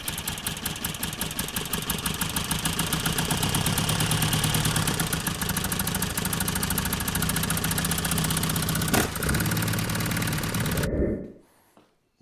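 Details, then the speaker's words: 1975 Mini Clubman estate with a replacement engine stored 12 years, after re-setting distributor firing order to 1-3-4-2: small four-cylinder chugs at a fairly even fast idle about eleven seconds, then shuts off; firing and running. "we're gonna see what happens now as you're lean in here oh that sounded a bit more promising didn't it"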